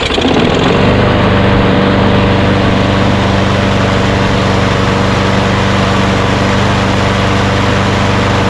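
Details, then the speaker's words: Small single-cylinder Craftsman push mower engine after adjustment, reading about 2,900 rpm on a tachometer: snaps to a steady, even drone at full governed speed with no surging or misses; runs right. "so uh it shows about 2 900 rpm i thought it might be higher but this is the sound that you want you know i guess for this engine 2900 is about right so that's good"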